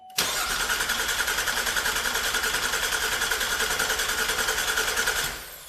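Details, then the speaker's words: 2012 GMC Acadia SLT 3.6 LLT after final assembly, cranked with fuel pump fuse pulled to prime oil: even quiet starter churn about 3.5 turns a second, no knocks or clatter; normal healthy cranking. "Nothing's knocking. yeah, it's quiet. The starter's quiet."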